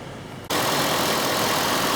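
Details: 2005 Cadillac STS V8 with a replacement engine, after P0011/P0014 VVT codes on one bank were fixed with parts from the old engine; cam phaser functional test passes, and it catches abruptly into a loud, even idle without knocks or ticks, healthy.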